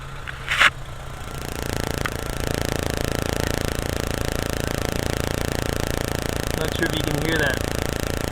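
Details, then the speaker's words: Intermittent misfire under load on a VW A3 2.0L ABA petrol engine: uneven, stumbling beat while pulling, traced to arcing in the distributor cap. "arcing in the cap. Oh, what a good ear I've got. No more cooking."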